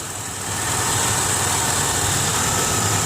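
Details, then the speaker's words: 2003 Ford Windstar mobility van, V6, 248,382 miles, brand new battery, under hood: even, steady idle with no knocks, misses or surging; runs smoothly, no major oil leaks seen. "it's got the brand new battery in it seems idle smooth I don't see any major oil leaks or anything like that"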